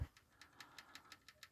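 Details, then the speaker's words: 1993 Mitsubishi Pajero 3.0 petrol 6G72, left (driver-side) head: crisp light even ticking about six per second over quiet idle; cause likely a collapsed hydraulic lash adjuster (lifter) on that side. "вот он у меня наверное просевший из-за него я услуг я-то уже испугался вначале паджерик один"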